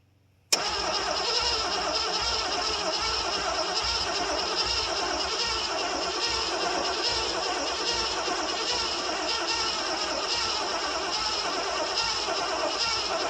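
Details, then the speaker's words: 1973 Ford Gran Torino Sport, 351 Cleveland, off the road about 30 years, new starter fitted, fuel primed, throttle held. Steady, fast cranking with no firing at all: no spark from the points, which had only borderline spark earlier. "I wonder why we ain't got no sparkles. That can't be right. It had spark earlier."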